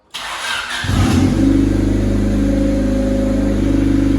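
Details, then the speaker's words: $300 project Honda Civic after oil change, no longer smoking: cranks briefly, catches at once and settles into a steady, even, somewhat loud idle; normal start and idle. "Listen to this thing purr. They've heard it. $300. Did an oil change. And it doesn't even smoke anymore."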